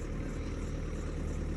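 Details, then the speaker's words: Maxus V90 diesel delivery van that smoked from under the bonnet, idling after diagnosis: steady even low rumble, no knocks or misfires, oil pressure fine; smoke was just leaked oil on the belt, engine fine. "ticking over ticks over brilliant there's nothing wrong with this engine that's just oil on the Bel G quiet"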